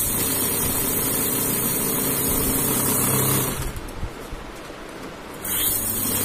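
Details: Godrej Swift Turbo desktop bundle note counting machine in free mode: even whirring run that pauses under two seconds and resumes smoothly; counting normally.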